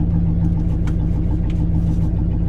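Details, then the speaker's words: 1968 Lincoln Continental V8, idling: steady, even rumble sitting a touch fast; owner suspects a vacuum leak created while working on it, still sounds funny under load. "is idling a little high but I think I created a vacuum leak when I was working on the car so that's fair"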